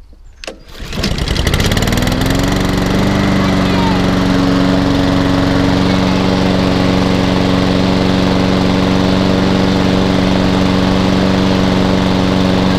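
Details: Hayter 48 mower with Honda engine from a job lot, new air filter fitted: a few pulls, then it catches into a steady, even drone without misses or knocks; the drive now works strongly; normal running.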